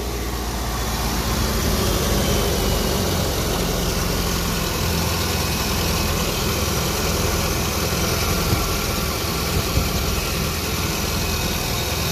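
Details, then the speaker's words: Jeep after replacing burnt fusible link and cleaning engine ground: steady, even idle with smooth low rumble, no misses, knocks or ticks; normal idle. "seems fine everything seems to be good i also cleaned up the engine ground there a little bit"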